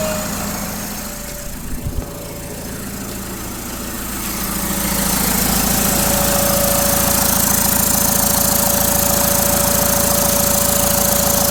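Over a diesel clatter a steady whistle and growing rushing hiss build as revs rise, pointing to a failed turbocharger.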